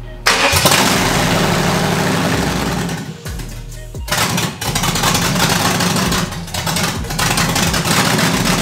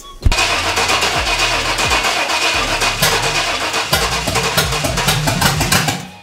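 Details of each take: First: 5.7 Vortec V8 swapped into an S10, just fixed low fuel pressure, first runs: engine speed keeps sagging and recovering every second or two, hunting for idle; owner suspects loose fuel pump wire connection or distributor setting, unconfirmed. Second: 5.7 Vortec V8 swapped into an S10, started after fitting a DW200 fuel pump and new fuel filter to cure low fuel pressure; catches straight away and settles into a steady idle with no stumbling, fuel delivery sounds good.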